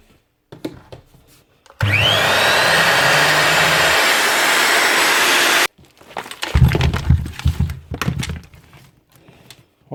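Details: Repaired grinder test run after retapping and Loctiting loose screws: motor whines quickly up to speed, holds an even high pitch about four seconds, then cuts off, spinning freely; normal running.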